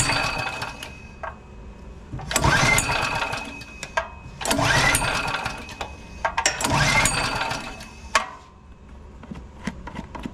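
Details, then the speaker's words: Generac GP3250 generator unused for a couple of years, tank found dry, oil up through the intake; choke on, fuel on, three pulls each sputtering then dying; fuel starvation from a gummed carburetor. "so if you're checking out your unit and it won't start first thing you want to check is your fuel normally it's a fuel related issue"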